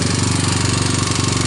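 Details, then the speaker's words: 1999 Honda TRX250X ATV on a cold start with a non-OEM PZ27 Keihin carburettor and portable CDI: quick, even ticking at idle, loudest at the top end. Valves were checked and felt good, so the owner suspects timing chain tension; not confirmed. "I think the next thing to do is start exploring to make sure the timing chain is tight enough because I you know like that tapping up on top because once again I I double-checked the valves and they they look like they felt good"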